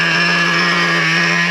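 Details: Traxxas Revo 3.3 nitro RC truck during day-two break-in, fourth tank, low-speed needle slightly on the lean side; wheels not spinning, idle drops, reading about 247 on Traxxas Link app. Steady, even high-pitched buzz with no hunting or stumbling; clean, well-tuned normal idle.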